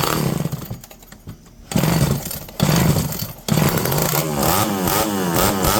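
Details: Revived electric-start McCulloch 5-10E chainsaw with borrowed idle screw, idle possibly a touch high: snarls from lumpy idle to full revs, pulls down cleanly into the cut and recovers; runs fine under load, though base gasket leak and carburetor suspected.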